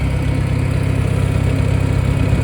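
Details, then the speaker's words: Farmall 400 tractor, just finished and put back together, warming up at idle before an oil change: steady, even low thump with no misses or knocks; sounds healthy. "So, she runs. All right, so there it is. It's all finished, put back together."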